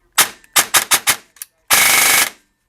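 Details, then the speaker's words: M4 AEG airsoft Franken build from used parts, after a nasty noise was fixed by backing off the motor height adjustment screw (motor set too tight): crisp single shots then a tight, even full-auto burst; gearbox cycling smoothly, no grinding or lag. "it sounds much better so I guess the motor was just tied in just a little bit too much so I just backed off"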